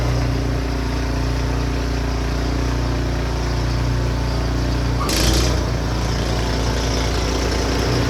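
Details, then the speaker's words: Snowblower single-cylinder engine while clearing snow after repair: steady, even drone under load with a whoosh of thrown snow. Runs just fine. Normal running. "I think we're good to go it seems to run just fine"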